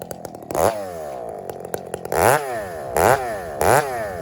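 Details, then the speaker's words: Husqvarna 394 chainsaw revved repeatedly to full throttle off the wood: blips burble at the top rather than screaming clean; slightly rich carburettor tune. "think you're better to run this a little fatter Rob to be honest with you I do it seems to want to do that"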